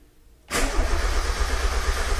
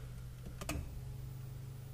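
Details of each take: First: 1990-93 NA Miata 1.6 after SpeedyEFI (Speeduino) install replacing stock ECU, MAP port plugged in, fuel pump primed: starter cranks about three seconds with brief catching sputters, never runs; cranks but won't start. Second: 1990-93 NA Miata 1.6 after SpeedyEFI (Speeduino) kit replacing stock ECU, MAP port plugged in, garage door closed: key-on click then faint steady buzz; fuel pump priming normally, owner doubts it will start.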